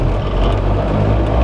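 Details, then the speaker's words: VW Rabbit Pickup after engine swap, driving: heavy low cab drone with buzzing rattle as the oversized 3-inch exhaust vibrates against the shifter tower and fuel tank. "this exhaust, and it is currently butted up under and up against the shifter tower, so it's rattling, as you can hear, up against the shifter tower, but also it is right up against the fuel tank, which cannot be good."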